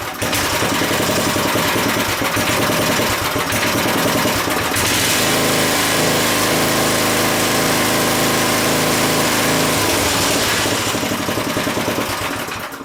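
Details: Craftsman tiller after replacing bad fuel pump diaphragm, cold weather, before carburetor adjustment: small single-cylinder buzz runs crisp and even, revs up, holds steady, drops back cleanly; fuel delivery sounds healthy now.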